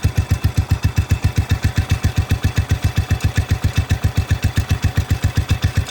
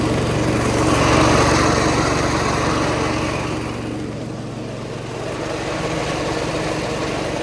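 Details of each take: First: Cub Cadet 105 lawn tractor after a fresh oil change and carburetor change, about a minute after a cold start: steady, even low thumping about 150 beats a minute, no misses or extra knocks; normal idle. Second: Cub Cadet 105 lawn tractor, not yet warmed up, 42-inch deck blades engaged and throttled back to idle: engine steady with a raspy whirring on top; the deck idler pulley is noisy, fix planned for winter.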